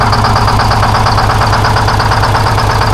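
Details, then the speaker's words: 1970 Peterbilt 341, Detroit Diesel 6V71 two-stroke, unused since 2018: hard loud run with steady pounding knock near three per second, smoking, dead cylinders; engine blown up. "You got one dead on that side. Jesus Christ. Everything's blown up, dude."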